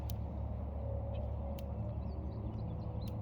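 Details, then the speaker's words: Premier 1 Solar IntelliShock 180 fence energizer just switched on after installation, ground and fence leads connected: sharp snapping ticks about every 1.5 seconds over a low rumble; normal, good crackling pulse. "You hear that? That's normal. It's a good sound. You want to hear that."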